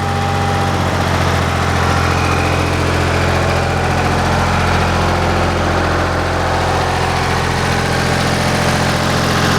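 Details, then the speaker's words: Ford 335 industrial tractor diesel at low idle after ATF and Stanadyne treatment added to fuel for a sticking injection-pump return pressure regulator piston: steady even clatter, all cylinders firing properly; normal idle, problem seemingly corrected. "they're running perfect again starting to ride up I'm all low idle I am star pm cylinders firing just like they should"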